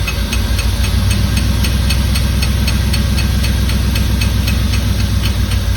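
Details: 1989 Firebird Formula 350, 10,000 miles, long stored, injectors gummed and being tapped free: lumpy low idle with sharp tick about four times a second on top, running rough; cause suspected, not confirmed.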